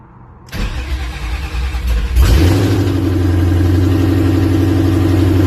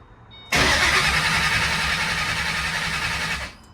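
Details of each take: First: 2008 Mustang GT with Coyote V8 swap wired using a control pack and trimmed 3V engine harness: brief crank, then catches cleanly, flares up and settles into a steady deep rumble; normal start and idle. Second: 2008 Mustang GT (S197) with Coyote swap on a control pack and trimmed 3V harness, cranking steadily about four turns a second with fuel pressure present but never firing. Crank-no-start because the crank trigger wheel is missing, so no crank signal.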